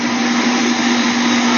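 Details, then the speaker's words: Air conditioner condenser unit after replacing the failed capacitor: contactor pulled in, condenser fan (about 1.2 A) and compressor (about 7.3–7.5 A) running, with even fan rush over a steady compressor hum and no rattles, buzzing or stalling; normal running. "Okay, our contactor has pulled in and our condenser fan is running. I can hear the compressor has also kicked in."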